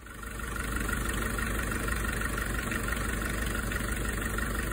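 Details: 2003 Volkswagen Polo 9N 1.4 petrol four-cylinder after replacing failed ignition coils that caused a misfire on two cylinders: steady, even idle with a smooth low hum, no stumble or shake; engine runs normally.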